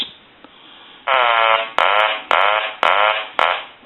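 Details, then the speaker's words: Hand-painted wooden duck novelty telephone after repair, quacker on low setting (quieter than high); five buzzy quacks about every half second, each fading evenly and clean; ringer works fine. "ring this telephone one more time and I'll let you hear the quack sound that it puts out it produces"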